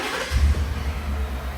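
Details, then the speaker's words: 2018–2020 Ford F-150 5.0L Coyote V8 just after a spark plug replacement: quick crank catching into a deep, steady idle rumble with no stumble, a clean, healthy start. "Start it up, let it idle, make sure it sounds good. Put your hand on it. Should be nice and smooth. Everything seems good to go."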